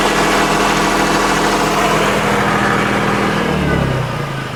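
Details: Massey Ferguson 240 diesel tractor, first start after an injector pump rebuild: diesel clatters evenly, revs up cleanly under throttle and drops back to a steady idle before fuel shutoff; normal idle and throttle response.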